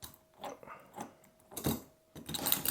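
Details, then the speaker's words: RC 30° North with Vitavon transmission, pinion gear shimmed, diff pushed by hand: short whirring bursts with no rubbing or grinding; smooth gear mesh. "Et si je pousse comme ça ? Donc là c'est parfait."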